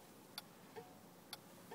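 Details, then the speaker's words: Datsun 240Z, ignition on, driver's side turn signal: relay clicks about once a second, sluggish versus right side; driver's rear marker and brake light also out, hazards work; turn signal switch suspected. "so you can see the blinker there it's not as brisk and it sounds like dead"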